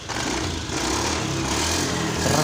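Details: Honda Beat scooter that wouldn't start and died suddenly, after fuel pump hose refitted: engine catches and settles into a steady even buzz, picking up smoothly with no stumbling or misfire; running normally.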